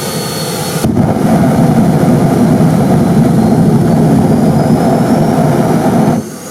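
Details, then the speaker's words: Kerosene turbine jet motorcycle with a new afterburner injector; loud steady jet roar with a rough low rumble and pulsing, over-fuelled because the injector pressure was too high until the regulator valve was nearly closed. "Yes, I agree. It's too much. As it turns out, the new injector requires very little pressure."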